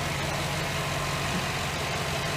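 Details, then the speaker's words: 2008 GMC Sierra 1500 5.3L LS V8 after failed AFM lifter replaced, head off and reassembled, fresh oil: steady even low idle rumble, no ticking, knocking or exhaust leaks; normal idle after repair. "all right fix sound good running real good"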